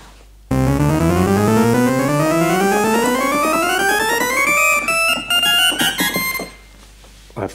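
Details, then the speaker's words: 1964 Farfisa Combo Compact organ after repair of its oscillators and tone generator circuits: clear sustained notes, with previously faulty C and D now sounding; normal organ tone. "how to do chromatic scale but you can hear that the C and the D that was um going before is now amended and is working"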